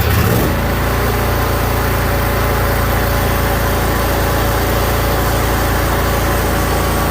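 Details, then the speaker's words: Craftsman DYS4500 mower with 22 hp Briggs & Stratton Intek, after temporarily fixing the split fuel pump pulse tube that caused the no-start: starts right up, steady even low drone, no misses or knocks; runs normally. "started right up I figured it would so she wants me to go ahead and go through it"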